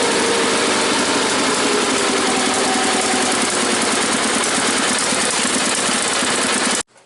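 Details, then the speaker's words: Cold small engine (tuned like the SS16) clatters with a slightly uneven beat, then cuts out; rough cold idle, won't idle until completely warmed up, still being tuned. "She doesn't like to idle when she's like cold. She won't idle until she's like completely warmed up."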